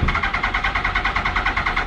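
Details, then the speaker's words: 2000 Yamaha R1 4XV running poorly, only three cylinders working: even starter cranking about eight pulses a second, won't fire; owner suspects no fuel from leaking carburetors. Hard starting, cranks but won't fire. "there you go don't even want to start up five minutes later come on me probably no petrol because they had the carburetors leaking"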